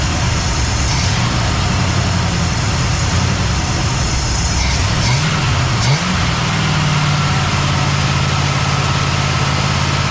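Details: Cadillac ("Lil Debby") restarted after fuel-line hose clamps were tightened during diagnosis of a brand-new but failing fuel pump; steady, even low idle with one brief pitch wobble that settles. Normal idle.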